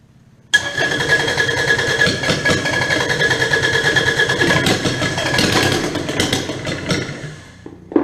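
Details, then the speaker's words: Kubota D722 three-cylinder diesel after injection pump work: lumpy, uneven running with a ragged beat and a whistle. The fuel pickup is drawing air with the fuel. "Why does that sound different? I looked at it and it's picking up fuel. With air. Is it? Yeah, there's all kinds of air in i"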